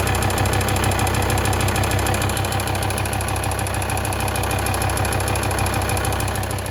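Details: D5244T12 diesel, 170,000 km, cold start below +5°C: light regular tick about three per second over the clatter, heard at the front wheel arches (right stronger) and the drive-belt area; it vanishes at operating temperature, cause undiagnosed.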